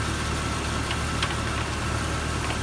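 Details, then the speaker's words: 1999 Jeep Cherokee idling about an hour and 10 minutes without a miss or stall: steady, even idle with a smooth low drone; normal idle. "we've been having this vehicle on for almost an hour hour and 10 minutes and it has a mess at all has a shutoff"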